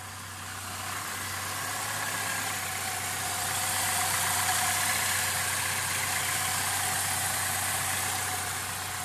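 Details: 2001 Saturn L200 that would not start after a blown fuse, with an ignition module suspected: quiet, even idle with a steady low hum under a light hiss, no misses or stumbles.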